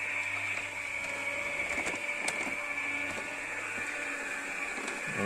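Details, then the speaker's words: Becker R12/17 RP+ tubular motor (2010, about 10 years' use) in a Compobaie roller shutter, after capacitor replacement for struggling lift and noise: even, quiet high-pitched drone, no knocking or straining, much quieter than before; normal operation. "fonctionne moteur est beaucoup plus silencieux terrain on ne va pas les claquements"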